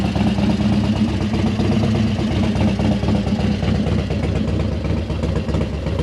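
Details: Harley-Davidson Dyna Wide Glide big V-twin idling steadily with its loping potato-potato beat and no odd noises, after inner primary shift shaft and mainshaft seal repair; easy-start cams thump at shutdown.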